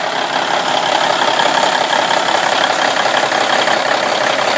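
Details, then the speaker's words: 1995 International truck with a Cummins N14 diesel, first start after installing a replacement ECM with gear-down protection disabled: steady, even diesel clatter at idle with no misses or knocks; sounds good, normal idle. "Sounds pretty good."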